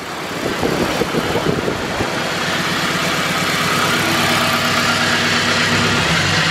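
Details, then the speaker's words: Honda Civic EK hatch with turbocharged K20, 11.5 compression, old gas, 99°F, after boost turned up; uneven stumbling idle, vacuum dropped from 20 to 18 inches; owner suspects a weak cylinder or piston, not a valve. "you hear that it's not a deadness but it's not right it's got a weak cylinder and it's not a valves is not ingesting air it's not popping"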